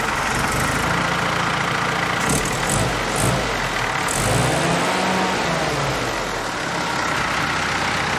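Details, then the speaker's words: Jeep with its original Carter WO carburetor freshly rebuilt and calibrated, first start after install, no leaks: idle still putters unevenly with occasional stumbles and hesitation; carb works but engine still unhappy, cause not pinned down. "Okay, so far so good. No leaks. It's still doing that little putter and hesitation."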